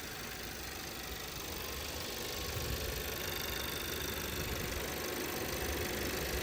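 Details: 2017 VW Passat 1.8 engine with random misfires in all cylinders after a few minutes, after camshaft adjustment sensor replacement: idles evenly with a steady hum, no stumbles, still fine past three minutes.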